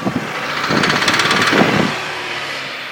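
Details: Hyundai 2.0 16-valve 143 hp engine, 136,000 km, idling: irregular burst of rattly ticking lasting about a second over the hum; abnormal engine noise, source not clear.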